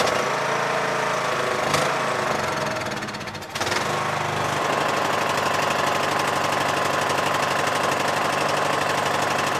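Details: Yard Machines MTD lawn tractor, 20hp Briggs single-cylinder OHV, first start after magneto bypass for no-spark no-start; even firing with a brief sag around three seconds, then a clean steady beat: normal running.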